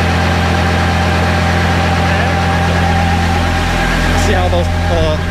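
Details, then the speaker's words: Kubota B7100 diesel tractor driving a NorthStar PTO generator charging a battery bank: steady drone sags in pitch as the 23-amp charging load comes on; engine speed droops, needs more throttle. "dropped when it started pulling these 23 amps right"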